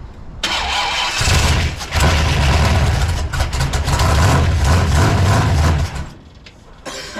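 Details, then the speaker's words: Dodge Super Bee V8 beater racecar, first start after sitting: brief cranking, then a deep, steady, lumpy burble with no knocks or misses. It sounds healthy, with ignition timing still to be adjusted. "can put some timing in it that sounds good"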